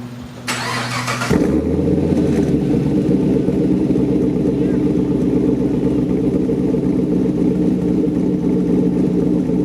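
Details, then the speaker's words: 2012 Chevy Caprice after new cam, lifters, pushrods, valves, springs, timing chain and tune, with new exhaust: brief crank, catches with a bark, settles into deep slightly choppy lopey idle; starts every time, running properly. "drive is perfect starts up every time i haven't had any problems there you can definitely hear the cam and here's what it sounds like i'll go ahead and show you guys that"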